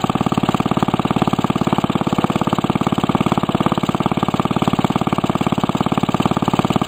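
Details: Restored 1945 Briggs & Stratton Model WMB single-cylinder engine with a rope starter, run after repainting; steady, even putter at constant speed with no misses or knocks; normal running.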